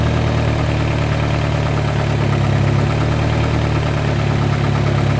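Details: Engine at steady idle: faint, loosely regular light tick over the low drone, which the owner says is not lifter tick; source of the tick not pinned down.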